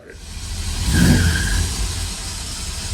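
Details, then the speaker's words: 1978 Ford Thunderbird, restarted after recently being revived: engine catches and revs with a scratchy grinding continuing after it fires, as if still cranking, starter seemingly staying engaged; smoke and burning smell from the starter area followed. Cause unconfirmed. "it sounds like it's still cranking and cranked at the same time. You ever heard that? And it's like this scratching noise."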